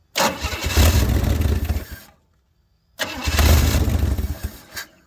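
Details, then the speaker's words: 1964 Chevy Bel Air, long sitting, first start after getting fuel flowing to the filter: fires twice, loud and raw for about two seconds each before dying; loud because the exhaust pipe ends short. "If you wonder why it was so loud, well, that's where the exhaust ends. So there's that."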